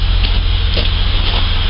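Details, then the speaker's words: Holden VS Commodore after spark plug change and throttle body/intake clean, cold start at tailpipe: steady even exhaust pulse, no missing anymore; suspected head gasket issue, idle speed control possibly slow. "that sounds a whole lot better see no missing anymore"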